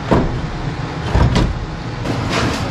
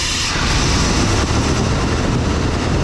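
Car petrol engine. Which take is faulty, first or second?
first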